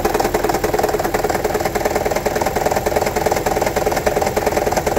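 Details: 2009 Toyota Prius 1.5 hybrid, idling, check engine light on: heavy engine rattle with uneven stumbling beat; P0304 cylinder 4 misfire, coil swap ruled out, one spark plug shorted and low cylinder 4 compression; fixed by replacing spark plugs.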